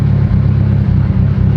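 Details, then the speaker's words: Mitsubishi Evo 8 after lifter bleeding and engine work, run 15-20 minutes to operating temperature: not overheating, oil pressure good, no misfire. Loud, deep, uneven loping idle with no mechanical noise; lopey idle. "it's not overheating at all everything's good to go there oil pressure is good yeah there's no misfire it's just a it's just a very very lopey car"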